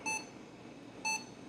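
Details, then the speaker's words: Japanese auction computer powered on from mains adapter with its nickel-based battery removed, hard drive spinning; two short, high, identical beeps about a second apart, same power-on error as with battery, cause unknown. "Yeah, it kind of sounds like the same behavior, so I don't think it had anything to do with this battery"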